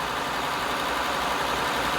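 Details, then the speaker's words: 2000 Honda Accord 3.0L with code P0505 (idle air control), engine warm: a fast, even idle stuck at about 1,500 rpm that does not settle. Parts were already replaced and the cause is not yet confirmed. "1500 RPM 1,500 RPM so the RPM is high"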